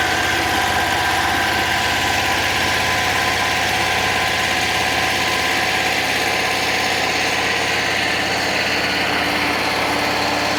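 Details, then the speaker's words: 1966 VW Fastback air-cooled flat-four, freshly installed engine, first start after firing order corrected (was 180° out), run on 6 volts: fires and settles into a busy, even idle with steady beat, no misfire. "I'm hoping now this will just light off cuz we have spark we have fuel do we have ignition oh that sounds like music"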